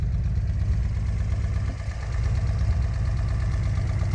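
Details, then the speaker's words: 1973 Datsun 240Z L24 inline-six before removal: deep, uneven, lumpy idle with a dip. Three cylinders have low compression, coolant is entering the combustion chambers, and it runs poorly when warm. Leak-down test shows it needs piston rings. "this particular motor is plagued with three cylinders of the low compression type has imposter coolant getting into the combustion Chambers and runs like crap once it's warmed up"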